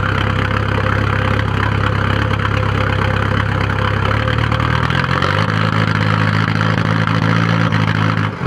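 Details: 1997 VW 1.9 TDI (1Z) diesel at idle: heavy, uneven lumpy beat with no steady rhythm, with white smoke; ran smoothly then suddenly started doing this a few days ago; rough idle, cause unknown.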